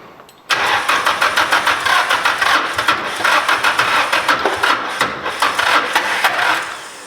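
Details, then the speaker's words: SR20-swapped Mazda MX-5 / Miata NC on first startup at the dyno: engine catches after a short crank and runs rough and uneven, stumbling with no smooth idle; crew suspects timing is off or it's misfiring. "Yeah, it's like, I think maybe timing's off or something. It might be firing off. It sounds bad."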